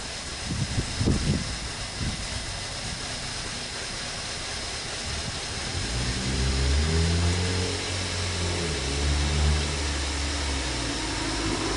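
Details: 2017 Kia Optima 2.4, burning a quart of oil every 825 miles, first start after a Berryman B12 and Liquid Moly flush soak to unstick the oil rings; long cranking before it catches and settles into an uneven idle, a hard start.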